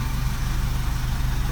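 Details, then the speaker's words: 2009 Vauxhall Corsa D 1.2 petrol after crankshaft sensor replacement for P0335 long crank and crank-no-start: starts first time, low steady idle with even beat and no misses or knocks; normal idle. "Let's see if it starts it. Ooh, first time! Fantastic! Oh, that's really nice."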